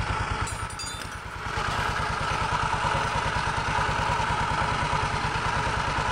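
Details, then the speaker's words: Automatic scooter with the CVT cover open: loose metallic clatter at the rear pulley/clutch area when throttle is first applied, pulsing evenly with the engine; broken roller weights. "disaat tarik gas awal bunyinya persis suaranya di sekitar sini ya teman-teman Ya di bagian puli belakang persis di area tempat gandanya ya"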